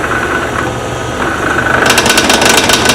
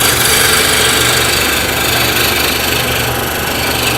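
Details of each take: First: I know it's not round yet for two reasons number one I can hear it number two I can feel the tool still advancing into the air where that one spot is Second: Wood lathe turning a bottle-stopper blank held in a collet chuck with a draw bar; a continuous, even hiss of the tool shaving wood with a steady rhythm and no knocking, meaning the blank is now round and cutting cleanly.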